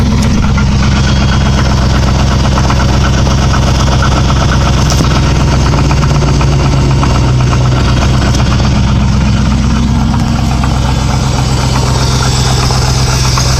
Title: 05 300C, 5.7 hemi engine knock